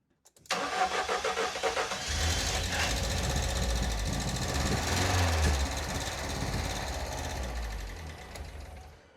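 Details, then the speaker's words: 1988 Ford Escort, refurbished Bosch K-Jetronic metering head refitted after long lay-up: starter whirs, engine catches and runs strongly several seconds, then fades and dies completely. Starts but stalls. "Okay, 3 2 1 Ah! It sounds strong and then it dies completely."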